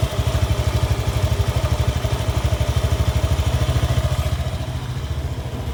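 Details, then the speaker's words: 2015 Honda Beat injection scooter after crankshaft bearing and connecting rod replacement following oil starvation: quick, even putter at steady low pitch, no knocking or rattle; smooth, healthy idle. "Suaranya udah jauh ya, jauh lebih halus. Udah enggak ada suara yang aneh-aneh. Dan ini memang suara ciri ciri khasnya Honda kayak gini."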